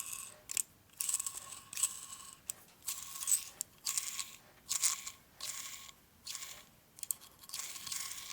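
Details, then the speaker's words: Part from a blown-up 1946 Harley Knucklehead 84ci stroker motor, turned slowly by hand: bursts of light, crunchy metallic rattle, though it feels smooth and free. Owner suspects a small piece of metal is inside; not confirmed. "hear a rattling noise, but there's nothing in there. Can't feel it or anything, it's smooth. It's nice and free."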